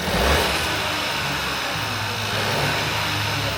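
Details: Ford Fiesta first start after a wet timing belt and oil pump replacement, with many parts still unplugged: loud, raw, open-pipe running that stays steady and even with no whine. Normal start and idle; the bottom end sounds healthy.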